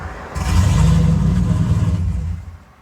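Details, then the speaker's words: Turbocharged GMC truck on a custom tune, cold start: cranks and catches with a deep rumble, surges rich and lean as timing tries to correct the idle, then dies after about two seconds; runs fine once warm, cause unknown. "Stalls. It's rich and lean, like all over the place. Timing's trying to correct the idle."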